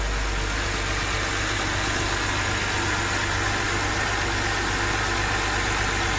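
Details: BMW 325i engine reassembled after a stiff, poorly lubricated camshaft let the VANOS cam rotate out of timing, Valvetronic refitted and set: even, settled idle with constant low rumble, no ticking or stumbling; healthy.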